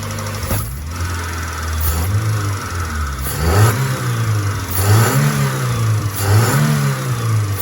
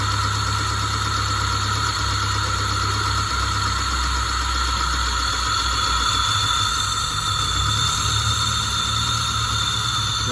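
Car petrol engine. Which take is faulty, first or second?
second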